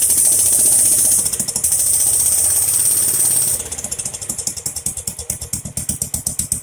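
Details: Jacobsen Chief 800 lawn tractor pulled from the weeds after long storage, first start on an old battery: spray hiss, then the single cylinder thumps unevenly about twice a second, coughing along on brake cleaner in the carburetor. Owner suspects dirty old fuel.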